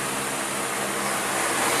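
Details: Car radiator fan motor after disassembly and repair, powered via ignition switch for testing: even, steady rushing whoosh with no ticking, scraping or wobble; spinning smoothly, healthy.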